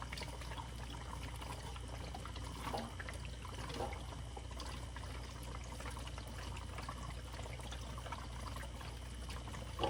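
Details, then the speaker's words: Fluval 107 canister filter after cleaning, valve opened before plugging in so the self-priming canister fills: soft, steady rush and trickle of water flowing in until full; normal filling during priming. "You open this valve and you're gonna hear this thing fill up. Once you hear it stop filling, then you plug it in."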